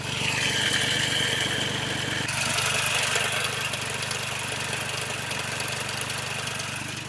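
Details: Hyundai Xcent 1.2 diesel, replaced engine with many faults, warmed up: harsh regular clatter about three or four knocks a second at idle, louder than normal; engine knocking at idle, cause unconfirmed.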